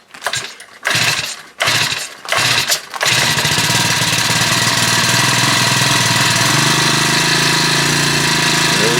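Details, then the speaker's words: Honda WX10 water pump, around 10 or more years old, after carburetor repair, pump hose not connected: a few starter pulls, then catches and settles into a steady even buzz; starts better than before, runs fine. "but uh anyway that starts better than did before runs fine"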